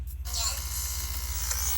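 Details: Sony Video 8 camcorder tape playback during transfer: a steady low electrical buzz pulses under the audio, absent at the start then suddenly appearing, traced to a faulty cable; audio buzz from faulty cable.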